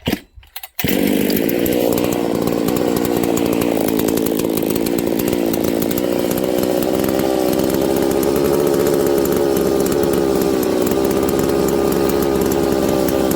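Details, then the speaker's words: Husqvarna 272/268/266/61-chassis chainsaw during crank seal test: brake cleaner sprayed at the crank seal and the seals under the oil pump; saw runs then sags and fades. Crankshaft seal air leak. "I'm gonna shoot a little break clean okay into those two areas without getting it into the intake which is on the bottom of the air filter or it will die instantly let's see if we got an air leak"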